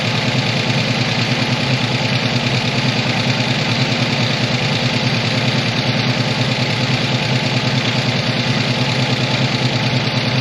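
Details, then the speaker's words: 1985 ASC McLaren coupe V8 with a newly built engine, first start after sitting since 2002, timing set by eye: rough idle with quick steady light ticking from the top end; cause suspected, not confirmed. "all right i do hear a lot of uh well i hear a lot of clocking out of the the top end here which isn't great"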